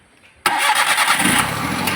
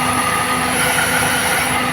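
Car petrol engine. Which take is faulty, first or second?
second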